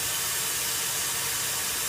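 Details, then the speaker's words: Truck air brake system one-way check valve test: primary tank draining with loud steady hiss; white primary and red secondary needles both fall, though secondary should stay put, so the one-way check valve is faulty. "you notice the white primary needle is going down, but so is the red. Now, it may settle out here, but the red one should not have moved at all."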